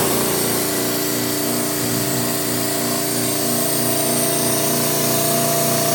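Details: Air Techniques M5B portable dental dry air compressor with dehydrator, 115 V, always-on cooling fan: steady even motor drone, fast regular pulse about four beats a second, no knocks; pumps to 80 psi, vents through dryer to regenerate down to 60 psi, normal.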